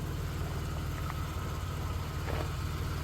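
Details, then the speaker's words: 1991 Dodge Grand Caravan after a junkyard transmission swap, the original muffler still quiet, idling with a deep, even rumble and no knocks, misses or ticks; the engine purrs and runs very smoothly, a normal idle. "Listen to that thing purr. That motor runs too good. Way too good."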